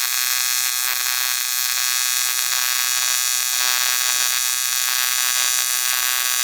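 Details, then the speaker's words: ARCCAPTAIN 200P AC/DC TIG in AC on dirty aluminum, Scotch-Brite cleaned, 4043 filler, before balance and hertz adjustment: harsh crackling high buzz wavering unevenly instead of smooth hum; erratic arc from contaminated metal. "It is kind of dirty, so that's obviously not like the best thing in general."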